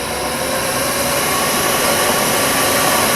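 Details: Bridgeport Series II vertical mill, spindle in high range at about 1000 rpm: a steady whirring hum at constant speed with no grinding, knocking or squeal. The spindle sounds healthy, and the load meter works.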